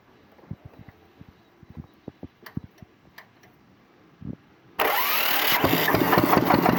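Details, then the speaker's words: Single-cylinder diesel water-pump engine (1100–1130 series) after repair of a broken part, pressures and injector spray checked good, starter removed: quiet clicks, then it catches and settles into a steady, even thump with no knocks or rattles; running healthy. "Mana xudo xolasa yurg'izib qo'ydik."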